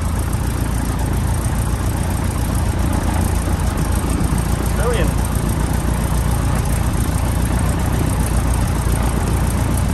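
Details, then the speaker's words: Piper PA-18 Super Cub Lycoming O-320, first start after reassembly following shipment to Australia, mixture rich, throttle cracked slightly. Oil pressure comes straight up; steady, low, even drumming with no misses or knocks; normal idle. "There we go, we have light off. Oil pressure's come straight up, that's good."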